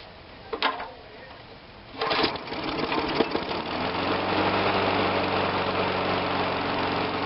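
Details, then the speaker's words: Murray 22-inch push mower with a Briggs engine after a carb rebuild and ignition coil testing: pull-start, then it catches into a steady, even idle with a light buzzy note, no stumbling, and is revved. Normal idle and rev. "got a great Idol right i sidle rev it up"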